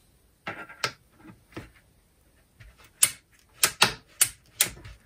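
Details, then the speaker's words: Makita DCF203 cordless/mains fan, disassembled for repair: irregular crisp clicks in short bursts as the swivel bracket is swung by hand, internal ball ratchet like a drill-driver's, working normally. "как я понимаю здесь внутри сделана трещётка и сделана с помощью шариков По примеру как в шуруповёртах"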